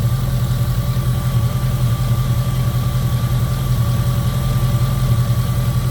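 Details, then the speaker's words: 2002 Jeep Grand Cherokee 4.7 V8 that keeps melting coil #3 and throwing random/cylinder 3 misfire codes; after shutting off and restarting, a low, steady idle on all eight cylinders with no stumbles. Owner says it drops cylinder 3 when driven. "and all I did was turn it off start it back up and it runs and it's running on all eight and it's not giving me any kind of an indication that it's going to miss"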